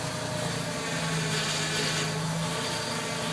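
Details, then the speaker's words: Ford E-150 van, idling just after a new power steering gear box was installed and the system mostly bled: a low drone with a rough grinding edge as the wheel turns. Owner suspects the pump pressure relief and old fluid rather than a fault. "as i turn the wheel there's a grinding noise okay shut it off all right now i don't think there's anything wrong i think what this is is the uh pressure release on the pump"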